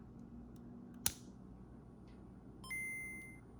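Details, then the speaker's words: Game Boy Color bought with no sound from the speaker, heard through the headphone jack: a low steady buzz or hum at any volume, quieter when turned down, then a clear startup chime. Owner guesses a loose connection; the speaker works but is very quiet. "Okay, so sound works coming through the headphone jack, and there is a buzzing or a hum that's in it as well, regardless of the volume."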